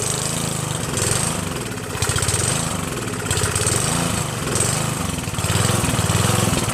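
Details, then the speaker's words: Northern Hydraulics pressure washer, Briggs 3.5HP, sat 8 years, started on starter fluid sprayed into the air cleaner and run dry without water; small single-cylinder buzzes with a gentle surge about once a second but keeps firing without misses. Normal running. "wow that's incredible it started just fine Mike I don't know what you're talking about buddy it runs just fine"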